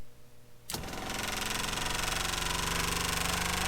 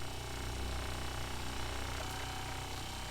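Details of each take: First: 12V diaphragm water pump in an RV, dB meter about 12 inches away reading 77–78 dB: it starts abruptly with a loud, rapid, buzzing chatter and heavy vibration that carries into the living space. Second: Kohree HY1733 12V 3.5 GPM 55 PSI diaphragm RV water pump, microphone pointed at pump, meter reading about 68–69 dB: steady even low buzz with soft rapid pulse about three a second; running normally, much quieter than the Shurflo.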